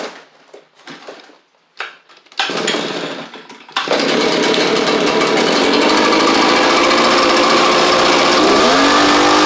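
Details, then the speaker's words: Echo PB755ST backpack blower after a carburetor kit to fix poor running under throttle; catches after a few pull-cord tugs, holds a steady high buzz and revs cleanly; normal running. "That's all it needed, which is great."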